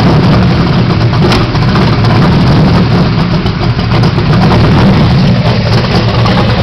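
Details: 1978 Pontiac Phoenix with 355ci small-block Chevy V8, 650 Proform double-pumper carb, Vic Jr intake, 3-inch pipes into 5-inch race bullets: loud deep idle lopes unevenly during a quick tune; carb still needs final adjustment, rough idle cause unconfirmed.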